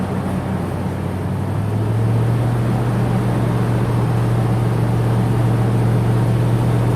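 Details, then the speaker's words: 10th-gen Ford F-150 with newly installed replacement engine, first start and break-in: smooth, even low hum with a steady beat and no knocks; runs great, good oil pressure, reached operating temperature. "It run great. Oil pressure is great. It got up to temperature."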